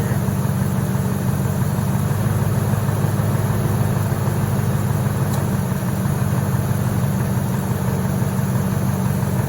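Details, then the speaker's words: 1998 Ford F-150 during A/C recharge, second refrigerant can going in; steady low engine idle with the compressor clutch holding on a long stretch before dropping out, short cycling from a low refrigerant charge that is nearly full. "I can already hear the compressor is running for quite a while at this point before it kicks back out. So we've almost got enough in here."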